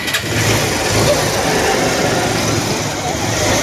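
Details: R180 motorcycle stored four years, started after a new CDI, battery and fuel hose and a cleaned carburetor; runs loud and smoky with constant mechanical clatter; worn piston and cylinder, slight connecting-rod up-down play felt.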